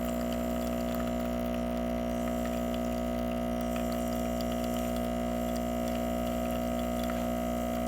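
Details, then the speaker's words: Breville XL espresso machine after OPV adjustment for a pressure problem: steady even pump buzz, constant pitch, no stutter or surging through the shot; normal pump operation. "You can hear the pump kicking on now, so the steam pressure will now increase."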